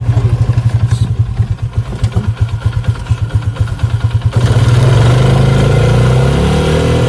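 Rapid, even pulsing rattle about four per second at speed, then a steadier roar as it pulls; a high-speed rattle, source unknown.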